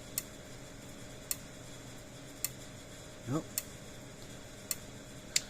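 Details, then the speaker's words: Repaired electric fence charger board powered up: sharp, evenly spaced ticks about every 1.1 seconds over a quiet hum. It is quieter because its epoxy-cased transformer (about 6,000–7,000 V) muffles the sound, and it pulses normally. "Hear it clicking. I said it is a lot quieter because we're using a different style of transformer in it. This one's a casing and an epoxy, so it muffles the sound."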